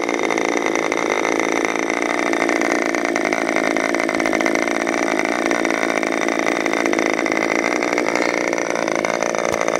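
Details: Freshly overhauled modified K&B .61 glow engine from CF Lee idling on test run: high, even buzzing idle holding steady for ten seconds with no surging or sputter; idles cleanly.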